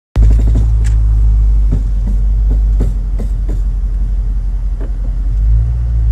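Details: Car driving and going over a bump: deep steady droning hum first thought to be a ball joint, actually the balls in the wheel bearing; fixed after — worn wheel bearing.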